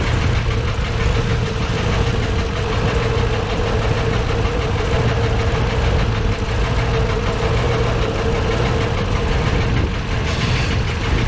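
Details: Loud uneven idle with a deep knock under the engine note, valve cover off. Valves partly dry, all moving. Owner suspects the cam, or a valve heard through a hose. Penetrant tried; cause unconfirmed.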